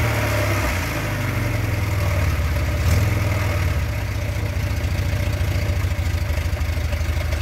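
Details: Škoda 1000 MB/1100 MB De Luxe, first start after 15 years: small four-cylinder ticks over at fairly steady idle, swells briefly under a throttle blip and settles back, running evenly.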